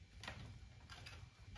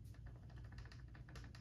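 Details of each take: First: PNW Rainier Gen 3 dropper post, about a month old, after rattle fix (cable/ferrule reseated in actuator slot), saddle shaken by hand: only a few faint light ticks, much less noise, normal play; no rattle. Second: PNW Rainier Gen 3 dropper post, about a month old: quick light clicking rattle when shaken by hand, also on bumpy trail off the saddle; manufacturer-recognized fix involves dismantling the post as for a service.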